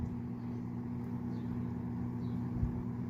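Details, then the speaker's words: Vintage Edison infinite-speed box fan model 204016, dial turned down to a low speed: quiet, steady low hum with an even tone, no ticking or rubbing; motor running normally. "Right there is actually pretty quiet. Does kind of have a hum to it."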